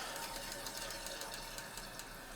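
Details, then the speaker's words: Toilet with a new fill valve, water level set about an inch below the overflow top: loud hissing rush with fast fluttering chatter as the refill hose flow into the overflow tube is set too high, the noise the customer complained about. "this controls the amount of water that's going through my hose into my overflow tube it's loud it's obnoxious which is why the customer called us here in the first place"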